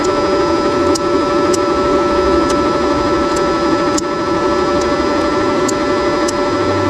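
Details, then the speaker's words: YesWelder Flux 135 PRO welder part, with sharp irregular clicks over a steady hum as an internal spring skips across the ribs of a white plastic piece, butting into it and loading up; suggested fix is winding the spring the other way. "time so I can hear the spring in here clicking click it clickey as it's skipping off these ribs of the white plastic piece inside there"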